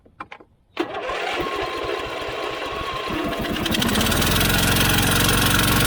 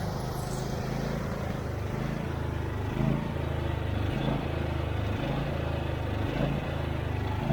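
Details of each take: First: Husqvarna YTH24V48 twin-cylinder riding mower with a no-start, choked: it catches and runs rough with a lumpy beat about four per second. One spark plug is missing from its hole, and a cracked vacuum hose to the fuel pump is suspected. Running on one cylinder. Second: Husqvarna YTH24V48 twin-cylinder riding mower with a no-start history, running on a temporary fuel line to test the fuel pump, started on choke: a steady, low putter with a gentle pulse about once a second, running normally.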